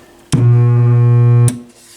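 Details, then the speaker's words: McIntosh MAC 1900 stereo receiver at switch-on on dim bulb: loud steady low hum with buzzy overtones through the speakers; likely a failing power-supply filter capacitor. "Whoa, did you hear that? That didn't sound good. That is most likely one of those filter caps."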